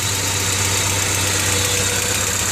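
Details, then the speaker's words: 1995 Honda Civic DX 1.5L idling steadily with a fast, light ticking over its low hum, not very noticeable; owner can't pinpoint it and wonders if a valve adjustment is needed. "definitely a tick i think it's coming from in there possibly um yeah sound good it's not very noticeable but i i can notice it and it's really annoying"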